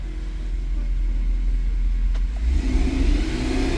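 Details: 2010 Mercedes E63 AMG (W212) with the M156 V8, revved after start: a deep rumble with an uneven, stumbling beat reveals the persistent misfire; the cause is unconfirmed.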